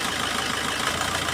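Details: Diesel car idling after re-enabling injector number one in OBD2 scanner injector cut-out test: smooth even idle, no stumble or skipped beats; all cylinders firing, injector confirmed fine.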